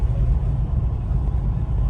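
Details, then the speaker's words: Toyota FJ Cruiser after strut replacement, first drive over bumps with window up: deep steady cabin road rumble, chirping gone; a faint sound possibly remains on the passenger side, which may need tightening. "First drive. Hitting a couple bumps. Try to roll the window up so you don't hear the wind. Wow. Chirping is gone."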